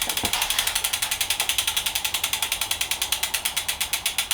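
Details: Used Planet X E130 bike in a stand: quick, even ticking of about nine clicks a second as the wheel coasts freely, no rubbing or scraping; freehub sounds normal and the wheel spins clean.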